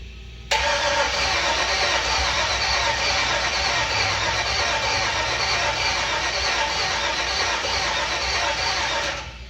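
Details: 1948 truck, unstarted for about 50 years, with rewired harness and toggle switch, fuel pump on: starter churns steadily for about nine seconds at roughly three turns per second but never catches; spark and fuel pressure still to be checked.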